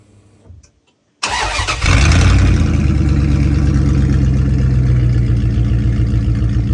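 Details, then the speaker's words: 1996 Dodge Ram 1500 with 5.9 Magnum, muffler just cut off before installing a Jones Full Boar 2-chamber muffler; starter catches, then loud deep raw rumble settles into a fast lumpy idle, open exhaust with no muffler. "All right, so we got the exhaust, the muffler cut off there now. Devon wanted to do a quick listen to what it sounds like with no muffler, so yep."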